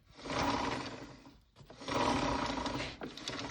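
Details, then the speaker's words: Blaster quad with rear raised and chain slack adjusted via the carrier bolts so it now rides on the rubber roller instead of rubbing the metal guide; rear wheel spun in bursts gives smooth, even chain whir with no scraping; running cleanly. "Sounds a little bit better. Doesn't sound like it's rubbing on that metal guide anymore."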